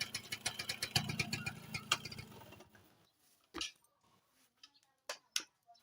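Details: Thai motorcycle engine, Nova-family four-speed: light, fairly regular tapping over idle for a few seconds before dying away, heard from the rear of the engine; points to a knocking clutch assembly.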